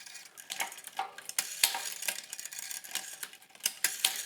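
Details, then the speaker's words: Bicycle front derailleur with low limit set too loose: irregular light metallic clinks and scrapes as the chain is shifted hard, chain wanting to drop to the inside toward the bottom bracket. "Well, it won't jump to the inside, but you can imagine what happened if it did. Well, and you can hear that sound though too, like it's wanting to."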